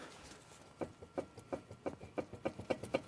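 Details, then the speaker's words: 2004 Ford Ranger with ABS code C1155, jacked-up front wheel spun by hand, large play felt: sharp clicks about three a second, quickening as it spins; worn front wheel bearing. "I hope you can hear it. I hope the mic is picking this up. Yeah. So, worn out wheel bearings."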